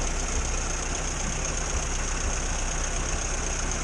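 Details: 1962 Morris Minor with a suspected ignition fault, after the distributor cap was cleaned: steady, even idle with a constant low drone and no misfiring for now.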